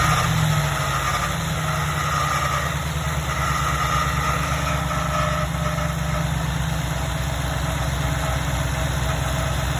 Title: Ford F150 Grinding/Screeching Noise. Fix?